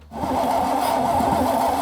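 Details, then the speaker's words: 1968 Pontiac Firebird V8 with over 200,000 miles, parked since 1984 and flood-damaged, starter freed up; brief crank then it catches and runs evenly, making compression and oil pressure, no knocks or misses. "I mean, the motor sounds fine. It sounds like it's making compression."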